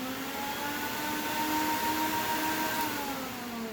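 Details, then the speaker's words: Workhorse chassis auxiliary electric cooling fans forced on via an IPA 9036-1 relay bypass switch, as supplemental cooling if the fan clutch fails and the engine runs hot; steady even whirring drone with no rattle or ticking; fans running normally. "and those fans will kick in and help keep things down hopefully at a more uh normal temperature and not risk causing any damage to your engine"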